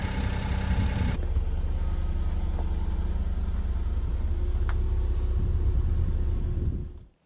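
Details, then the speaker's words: Car engine just cold-started: loud start, then even raised idle with faint light ticking/clatter from the top end, louder than when warm; normal cold start with raised idle. "es um das Thema was öfter gefragt wird: Warum nagelt ein Auto wenn man es frisch startet, warum hebt er die Drehzahl an, warum ist er sogar lauter als später im Fahrbetrieb."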